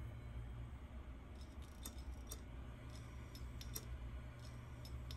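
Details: Seagate hard drive powered through a ZILKEE Ultra Recovery Converter to a Mac, mic held close; the Mac never detects the drive: a faint low spin hum with scattered sharp ticks about every half second. Clicking drive, cause not confirmed.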